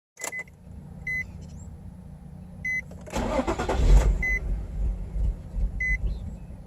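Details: 2006 Nissan 350Z: repeated chime beeps, then several seconds of starter cranking that never catches; very hard start.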